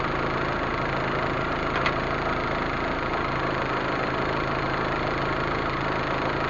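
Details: Proton Waja MMC, returned idle (stepper motor) valve tested on car after base timing set: step drops to about 20, steady even idle around 800 rpm, no knocks or misses; normal idle.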